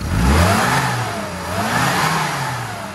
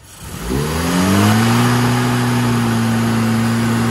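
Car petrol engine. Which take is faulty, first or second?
second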